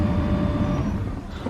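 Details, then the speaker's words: 2005–2014 Mustang GT after fitting a new blower motor, key on: only a steady airy rush and smooth fan hum, with the previous noise gone; the blower is running cleanly. "all right key on okay on all you hear is air blowing you guys don't hear that noise anymore the husted noise"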